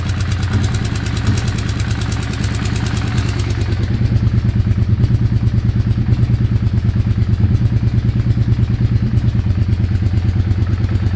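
Rapid, regular clatter about three beats a second over a lumpy idle rhythm; a clear mechanical noise whose cause isn't evident.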